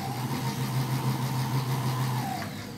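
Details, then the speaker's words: TX6000 Trax power trailer dolly drive motor switched to high speed: a steady motor hum holding one pitch, then a smooth wind-down as the controller slows to change direction when reverse is pressed. Normal, healthy drive operation. "When I go into high speed option, I flip the switch and it speeds right up."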